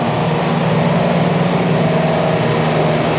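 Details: HVAC compressor that had locked out on oil failure with a tripped breaker, restarted: inrush about 134–138 A, matching the locked-rotor rating of 138 A. An even, steady low hum with no knocking, clatter or labouring; normal start and run.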